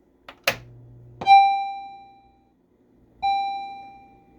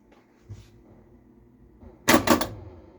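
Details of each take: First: Stern Electronics Big Game pinball machine, first power-on in six years of ownership after head install: clear ringing chime tones spaced a second or two apart and fading; sound board works normally, attract mode running, displays checked next. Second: Stern Electronics Big Game pinball at first power-on: quiet hum then sudden sharp clacks as a pop bumper fires by itself; owner suspects the switch gap is too close and flipper vibration triggers it.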